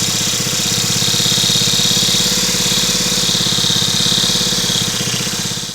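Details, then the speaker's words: Snuba dive-rig air compressor, small petrol engine, just out of storage: fast, even putt-putt under load, easing off near the end as it reaches operating pressure and drops back to idle; unloader working normally. "Alright, that noise you heard where it kicked out and went to idle speed, that's why I was making sure it was working, because my other unit actually failed"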